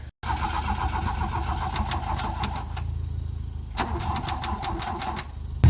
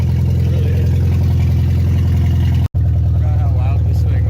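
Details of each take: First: Mark 1 VW Golf with mechanical fuel injection, old gas and blown head gasket: starter churns steadily about three and a half turns a second for several seconds before the engine catches and roars; two blown fuses found. Long cranking before start. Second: Volkswagen with CIS mechanical fuel injection, blown head gasket, old gas and milkshake oil, fired after long cranking once two blown fuses were found, first run in a year: loud, deep, steady engine with heavy low drone; running.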